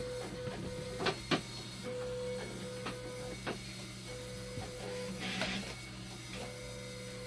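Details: 24V/5V acid and bicarb concentrate pumps on a dialysis machine making noise: low hum under a mid-pitched whine cutting in and out, with sharp mechanical clicks about once a second.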